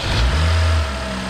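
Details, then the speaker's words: BMW X5 starting after idler pulley and serpentine belt replacement settles into a steady low hum; the earlier constant whine is gone, a normal healthy start. "Oh my God, no whining. No more whining."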